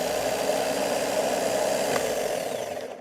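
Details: Starter being cranked during a ground-side voltage-drop test, in pretty good shape: a steady, even mid-pitched whir for about three seconds, then a smooth wind-down. Healthy starter cranking.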